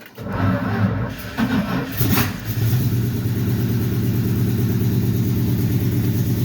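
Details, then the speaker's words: Old four-wheel-drive Dodge truck (Little Red Express clone) after clearing a blocked fuel hose or line to the fuel pump: cranks, catches after about two seconds and settles into a steady, even idle with no stumbling; runs normally, original fuel pump possibly fine. "all right I'm not sure but I think it's taking fuel it's running that's half the fight there and it's idling"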